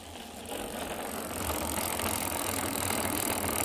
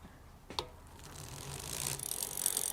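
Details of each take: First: Islabikes Beinn 20 rear hub recorded with the microphone held close while the wheel is cranked: harsh rough rattling and grinding; worn freehub bearings. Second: Islabikes Beinn 20 rear wheel after replacing a noisy, worn freehub by building a new wheel with new hub and bearings: soft, fast, even pawl ticking while coasting, quiet with no grinding or rumble; normal freewheel coasting.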